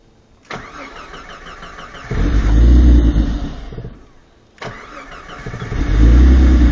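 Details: Jeep Cherokee that was submerged, water drained from the ECU; two bursts of starter cranking, each catching a few uneven low firing pulses that die away; cranks and fires but will not start.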